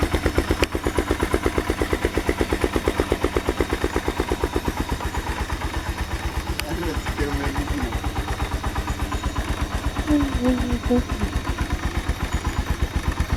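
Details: AKT TTR 200 motorcycle, arrived with a lot of engine noise, after timing adjustment and cleaning; steady even single-cylinder thump just under three beats a second, no knocks or misses; idles cleanly and evenly.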